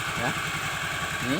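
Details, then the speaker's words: Honda Vario 110 after a new piston set was fitted and the cylinder block and head were rebuilt: an even, steady idle putter with no knocking or rattle; the earlier harsh noise is gone; normal idle. "Suara berisik yang kasar itu sudah hilang, tidak seperti sebelum saya membongkarnya tadi."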